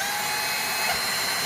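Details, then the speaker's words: Dyson V6 cordless vacuum running: rushing airflow with thin high-pitched whine as the filter vibrates because exhaust air can't flow freely; noise stops when held; fix is replacing the filter or washing and fully drying it. "이게 왜 그러냐면 흡입된 공기가게 배출이 되면서 공기가 원활하게 배출이 안되면 필터가 미세하게 진동을 하면서 앵앵거리는 잡음이 나는 거예요"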